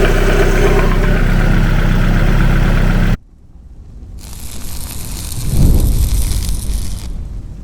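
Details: 360 bhp Mazda MX5 engine idling, louder at one spot than at the back of the engine: heavy, regular low knock about four per second, then cut off; engine coming out for repair.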